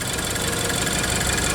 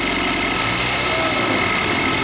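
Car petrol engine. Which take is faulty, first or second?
second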